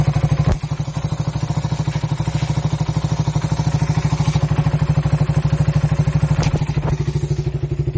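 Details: 2008 Suzuki Satria FU 150, 17 years old, unused for 3 years, just after a full engine overhaul, 43 km on the speedometer since it was fitted: steady putter of about three beats a second with no knocks, music in the background. Fairly smooth normal idle.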